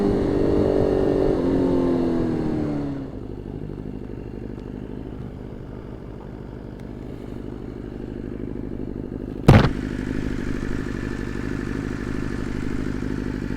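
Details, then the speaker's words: 2020 BMW S1000RR with Brentune flash, warmed up after a good cold start at about 45°F, coils failed before: rev drops to a lumpy, uneven idle with a sharp pop and big power loss; misfire from one or two failed ignition coils. "one of the coils are definely out you can hear it it's kind of hard to hear it when the bike's just revving but big power loss right off the rip"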